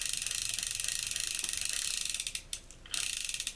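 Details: Ocean City 920 level-wind fishing reel after disassembly, cleaning, lubrication and reassembly; fast, even clicking as it cranks with no catches or hitches. An earlier hitch was possibly a loose screw catching inside. Turns smoothly, sounds fine.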